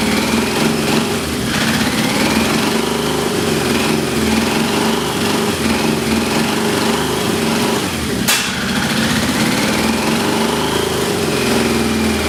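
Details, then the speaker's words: Yamaha XJ650 motorcycle first suspected of a sticky valve: uneven lumpy running with sharp ticking over the exhaust note; one plug not sparking, another weak, and smoke from transmission fluid in cylinders revealed an exhaust hole, the owner now thinks, not a sticky valve. "I think I had a hole in my exhaust and that sound like a sticky valve"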